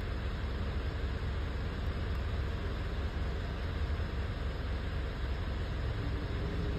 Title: Misfire engine Mitsubishi Triton checking the data list Engine